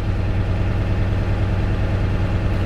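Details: Manual Class A truck during in-cab air brake test, air building to normal pressure: deep, steady diesel idle with an even low rumble and no knocks or misses; healthy normal idle.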